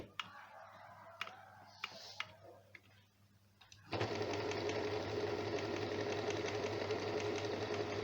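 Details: Janome sewing machine after being serviced for a running noise: a few soft clicks, then a smooth, even whir at about four stitches a second with no knocking or grinding. It is now healthy.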